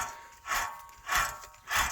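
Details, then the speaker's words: 1993 BMW E36 318is rear wheel bearing, driveshafts removed, hub turned by hand: slow rhythmic rough rasping; this bearing is badly worn, making a nasty noise, while the other side is worn but still acceptable; both to be replaced. "Mais alors celui-ci, il est rincé. Voilà. Il fait un sale bruit celui-là."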